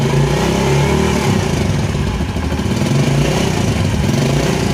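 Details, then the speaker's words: Carbureted motorcycle that started hard with a K35 pilot jet, now back on the K38 with idle and air screws reset. It previously stumbled when the throttle was opened; now it idles and picks up cleanly with an even exhaust note and no hesitation. "Nah sekarang akan saya coba Nyalakan Kang Bro coba dengarkan untuk suara mesinnya dan bedakan ya Ee di awal video saat akan diputar hand grip itu terjadi ee berbet"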